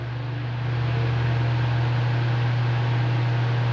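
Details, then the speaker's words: Fan on 220 V after capacitor replacement: steady low motor hum and even airflow hiss, no rattle; excessive noise at speeds 1 and 2 was cured by fitting a new capacitor. "agora você já sabe quando acontecer o aparelho estiver com barulho excessivo principalmente na velocidade mais fraca capacitou dois microfones botamos um novo barulho saiu ficou filé velocidade um"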